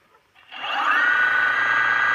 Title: Motor bearing failure